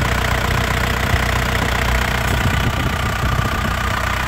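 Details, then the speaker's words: 2001 Isuzu Panther LS manual diesel at idle: a steady low clatter with even firing, no stumbles or misses, and a crisp, smooth sound, so the engine is judged healthy, with no leaks seen. "Mesinnya tidak ee pincang suaranya juga renyah ya halus renyah jadi mesinnya ini Insyaallah sehat ya Lur ya"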